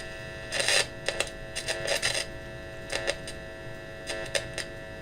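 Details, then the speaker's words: 1953 Vidor CN426 AC/battery portable valve radio, heard through the speaker while tuning with a signal tracer at the volume control: quiet hiss with faint scratchy bursts and whistles, stations barely getting through. Weak reception; oscillator suspected not running, paper capacitors suspected faulty. "There's something getting through. It sounds like the oscillator is not running"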